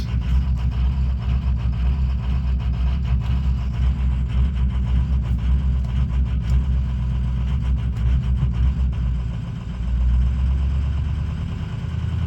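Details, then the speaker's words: Ford 6.0 diesel idling cold while warming up, ICP pressure reads high; deep idle that rumbles and surges unevenly. Owner blames the injection pressure regulator; replacing it with an OEM IPR fixed the rough cold idle. "seems to be working fine but the pressure is high I am going to change the IPR"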